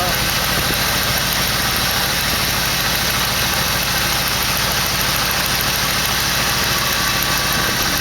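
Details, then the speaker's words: 1968 AMC AMX 401 V8 after replacing #2 lifter worn to oil hole, idling: steady even hum, no lifter clatter, running on all eight; normal idle, though timing still off and carburetor bad. "fires right up so as far as that bad lifter is concerned [Applause] that's a fix of course the timing's still off and that carburetor is bad but at least it"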